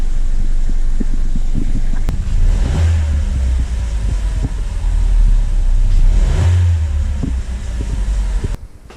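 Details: 2015 Buick Encore 1.4L Ecotec after replacing the valve cover and intake manifold (PCV diaphragm fix): deep, even engine note through two clean rev blips settling back, no misses or rattles. Revs healthily.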